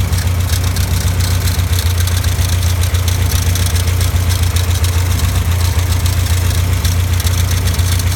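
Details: Caterham Super Seven at steady idle with a fast, even rattle, three to four a second, riding over the engine; worn alternator bearing.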